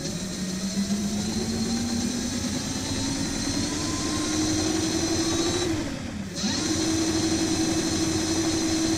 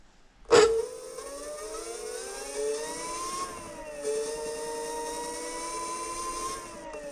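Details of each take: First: Hub motor of a DIY dual 350 W hub-motor electric scooter, run while pushing against the other wheel; owner believes heavy friction, this wheel stronger and holds it. Steady whine climbs, dips briefly, then holds higher under the drag. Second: Front hub motor of a DIY dual 350 W hub-motor electric scooter (dual displays, dual batteries) spinning freely: clean whine climbs then holds steady pitch, no grinding or clicking; healthy hub motor.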